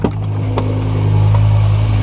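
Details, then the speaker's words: Used BMW M5, after a rough-running engine malfunction. Earlier the engine was cycling as a reading dipped below and above one; now it starts fine and settles into a steady, even, healthy idle. "Good news is sounds like it started up just fine."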